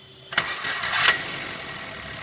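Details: Maruti Swift (stated 2017 model), after repair, started with clutch pressed and called OK: a short starter burst, the engine catches at once and settles into a quiet steady idle with no starter whir after; clean start.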